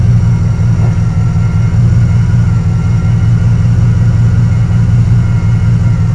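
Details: Carbureted Camaro Z28 V8 with a stalling history, after a distributor swap and radiator repair, timing set to about 6.5: a smooth, even low rumble holds a constant idle speed with no stumbles or knocks. The idle is healthy.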